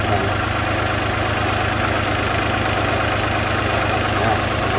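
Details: 2008 Toyota RAV4 Sport 3.5 V6, codes P0300, P0302, P0304, flashing check engine light, low coolant with heater air lock: steady idle with faint uneven stumble; misfire on cylinders 2 and 4 stopped after unplugging number 2 coil; cause unresolved.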